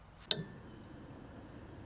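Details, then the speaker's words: EG4 solar hybrid mini-split outdoor unit in cold weather, standing pressure 117, switched into heat mode: a single short swish-click, then a quiet faint tone; the reversing valve shifts normally. "You can hear that little swish. That is the reversing valve switching. If you hear that, that means that that reversing valve just switched."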